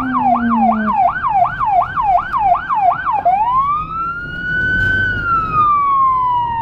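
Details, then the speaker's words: Federal Signal Rumbler siren on a small emergency car in Budapest, dashcam audio from inside: a fast yelp sweeping near 1 kHz about three times a second over a deep 180–360 Hz low tone, then a slow rising wail; working normally. "For sure you can hear it from further as you can see the drivers tend to react quicker and they can see me better even if my car is small."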